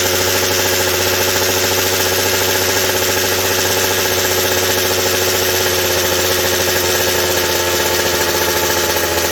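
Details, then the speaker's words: McCulloch 790 chainsaw with an MC101 kart engine, new header and pipe, on first fire-up: steady high-revving two-stroke scream that never breaks into a four-stroke burble; the carb can't deliver enough fuel at high speed, so it runs lean up top. "not quite the high speed response is lacking still and it isn't it just isn't able to feed enough at the high speed to just hit that four stroke note to where i can back it off"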